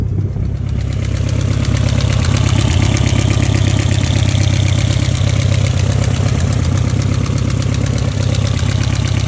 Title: E30 M3 S14 Engine Knocking